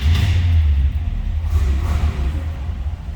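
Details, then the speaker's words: 1964 Buick Riviera V8: fires right up and settles into a deep, steady, even rumble with no knocks or misses; healthy start and idle. "Fires right up."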